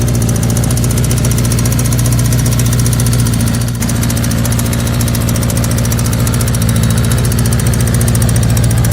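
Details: Air-cooled 1984 Kawasaki GPZ, running again after a newer battery, fuel line and carburetor work: loud idle with an uneven, lumpy beat of about three and a half pulses a second that stumbles rather than holds steady; rough idle.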